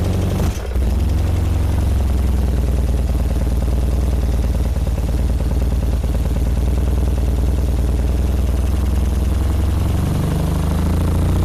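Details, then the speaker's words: 1978 BMW R100S airhead twin with new plugs, choke on: low, uneven, lopsided thumping idle with a stumbling beat, only one cylinder firing; left carb dry, its fuel passages blocked by gummy gas; Mikuni TM38 carbs to be cleaned. "That one has got fuel. This guy's looking dry. Let's give it a whirl. Alright, I'm pretty sure that's only one cylinder on this side."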